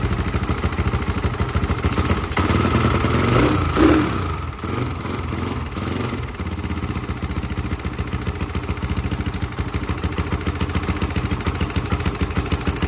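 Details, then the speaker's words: Rebuilt Honda 350X three-wheeler (Wiseco piston kit) at first start after kicking: fast light ticking, about 3-4 per second, over the single's idle. Owner suspects the decompression cam clicking or valve clearance; shut off to adjust. "all right so i see an issue here guys we're gonna have to adjust either this or the valve clearance because uh you can see it here it's like this decompression cam's clicking"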